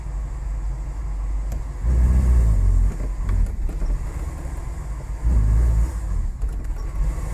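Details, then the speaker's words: 1985 Cadillac DeVille 4.9L, complaint of no power, rough idle and stalling, many parts already replaced: deep, uneven idle sags and surges, and rpm barely rises even at wide-open throttle. The MAP sensor was found unplugged. "we can't even rev it look at our throttle position and hear how it's idling right now look at our rpm watch like 40 50. it's not even going anywhere"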